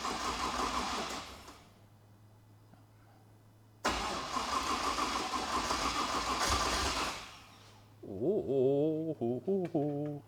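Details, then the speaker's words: Ute engine with a previously flat battery cranks in two strong, even bursts and catches on the second try once fuel pressure is primed to the expected 58; it starts and runs, spitting out something unidentified; no tailshaft fitted. "it's running it's running okay so it starts okay"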